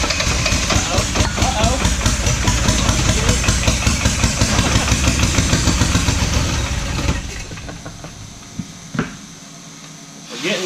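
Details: Diesel truck that sat five years, during a start attempt: it thumps along unevenly with a ragged, lumpy beat for seven seconds before fading out. Rough running; an airlock is suspected, not confirmed.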